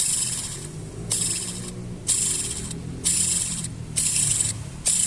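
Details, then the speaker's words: Idling car with cable clutch: hissy, high whirring each time the clutch pedal is pressed, from the clutch release bearing spinning with the pressure plate; noise not gearbox since it appears with pedal pressed; bearing to be replaced. "tá aí no caso é o rolamento da embreagem mesmo tá"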